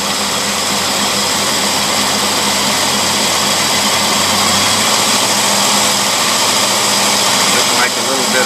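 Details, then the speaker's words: Customer's boat carburetor in a pre-rebuild test on a running engine, with a bent front shaft; idle was rough until the mixture was adjusted, and it now holds a steady, even idle with no hunting; normal idle. "we're going to see if the mixture adjustment will take care of it yeah that took care of"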